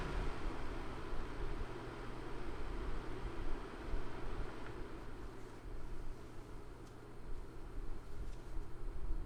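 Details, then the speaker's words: Dreo CF511S air circulator table fan run from highest to lowest setting: quiet, even rush of air with a low hum easing as speed steps down, no knocks or rattles; normal fan running. "okay so now this is what the fan sounds like and I'm going to start from the highest setting towards the lowest set setting"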